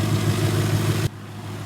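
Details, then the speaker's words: Warmed-up car idling after fitting new pulleys and a freshly done timing belt: brief smooth, low idle with no squeal or chirp; the usual loud squeak has gone, normal idle. "The squeak went away. I can't hear it. Normally right now it'd be squeaking really loud."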